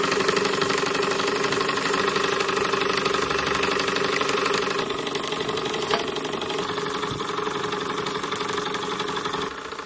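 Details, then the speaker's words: Miniature flame-powered model engine, after a repair, burner set to preferred speed: even beat about four per second, soft clean exhaust note; normal smooth running. "now I'm impressed with this beautiful smooth sound I'm impressed listen to that"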